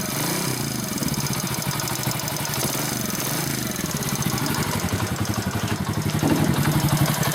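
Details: Small engine idling and revving with an irregular clattering knock, about four per second, louder as revs rise; source of the knock unknown.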